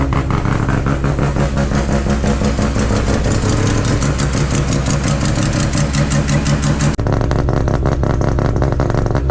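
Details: Mazda RX7 FC, billet semi-peripheral/bridgeport 13B rotary, first start after new wiring loom; loud choppy burble with quick throttle blips, even strong firing, healthy fresh engine.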